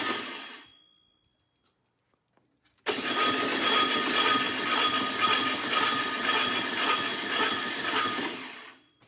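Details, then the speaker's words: 1967 VW Karmann Ghia engine, on a stand after 45 years in a barn: while cranking, a harsh rasping scrape about twice a second rides over the starter; starter or flywheel, which looks possibly warped, suspected. "all right whoa that sounds weird doesn't it what is going on in there it doesn't sound right sounds like something's scraping what is going on that's weird try it again"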